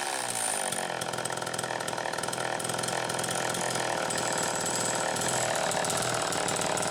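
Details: Homelite Super EZ chainsaw test run after repair (came in pieces, would not start; baking the coil fixed it), started by drill using the decompression valve, wide open with a steady buzzy two-stroke rasp; oiler working, runs properly.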